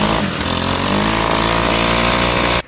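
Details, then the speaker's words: FS-111 trimmer engine runs rough and uneven, then cuts out abruptly when throttle is released; fuel leaking into the air filter system soaked and choked it, even after about five minutes of drying the filter in front of a fan. "because the gas that leaks in here it causes for the air filter system to kind of Choke up and it takes a lot of work to get these things to dry out completely"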